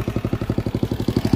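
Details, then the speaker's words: Carbureted Honda CG, fine at low and mid revs but misfiring at high rpm; high-cut CDI fitted, carburetor swapped and jet enlarged. Revving still pops in choppy bursts, power breaking up; engine cutting out at high rpm, cause unconfirmed. "Tá com o CD normal e cortando."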